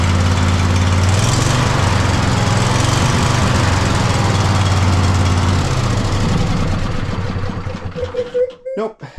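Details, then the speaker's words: Poulan riding mower twin-cylinder engine after plugs reconnected during servicing: uneven, stumbling beat with lumpy low thumps and dropouts before dying; still misfiring, owner believes fuel/air issue and plans carburetor removal. "Still kind of misfiring. All right. So, that's going to be carburetor take-off gig."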